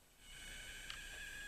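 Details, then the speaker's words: Seized TrackMaster Salty toy engine, battery fitted, after a few taps: a thin, steady high squeal over a faint buzz. The motor seems to be trying to turn but can't; motor squeal while stalled, cause suspected, not confirmed. "and you can hear a faint noise from the motor. I don't remember that doing that before, but if you listen carefully, you can hear a faint squealing."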